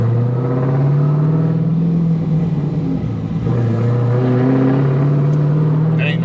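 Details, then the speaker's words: Straight-piped 2010 Camaro SS M6 with Edelbrock TVS supercharger at 10 psi, Comp cam, LT headers, on an existing tune: V8 revs climb then are slow to fall back off throttle; bad throttle hang from a poor tune. "And it's throttle hanging really bad, too. Lazy tuners."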